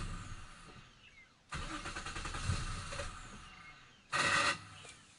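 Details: 1997 Nissan Maxima SE with a recurring hard start, usually needing at least three attempts, with pumping the gas helping: starter cranks about a second and a half without catching, then a second short crank. Hard start, long cranking.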